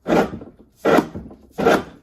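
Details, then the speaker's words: Ariens SS522e snowblower, hand-turned shaft: three dry scraping grinds, one per push, mainly from a worn bearing, possibly partly another part; shaft to be pulled for replacement. "you guys hear that it's mainly this bearing but I'm sure it's a little bit of both"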